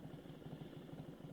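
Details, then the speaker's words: 1997 Harley-Davidson Evo Softail V-twin idling at a stop: weak uneven loping idle near stalling instead of its firm beat, caused by blown stator and voltage regulator, before replacement. "normally you would hear that beautiful sound of the Holly potato potato potato all I'm hearing is please don't stall please don't stall please don't stall"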